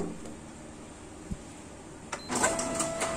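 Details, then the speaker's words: Canon iR copier (iR 4570/2870/3045 type) running with low hum, then sharp clacks and steady whine as drum stalls; noise traced to drum not rotating, giving blank white copies; drum blade initially suspected. "जो घूर्णन नहीं कर रही है , यह पता चला है कि ड्रम से आवाज आ रही है घूर्णन नहीं कर रही है , ऐसा लगता है की तरह ड्रम घूर्णन नहीं है"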